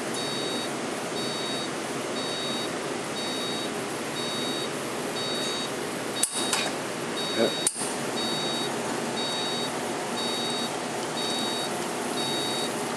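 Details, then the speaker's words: La Cimbali espresso machine in program mode, entered by holding the stop button for several seconds: the pump hums steadily under a short double beep repeating about once a second while the shot runs; normal programming beeps. "you press and hold the stop button for several seconds you'll actually hear it beeping at you now you are in program mode"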